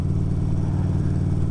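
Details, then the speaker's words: 2011 Harley-Davidson Road Glide CVO V-twin riding after the exhaust was partly gutted (catalytic converter still in) and the rear lowered: a deep, even rumble, shifting up and down with no clatter. The primary drive runs normally and much quieter. "primary is much quieter, shifting up and down and etc."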